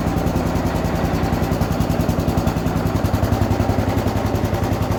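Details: 1967 Gravely 430 tractor after charging system rewiring: even thumping of about three and a half beats per second, no misses or knocks; normal running.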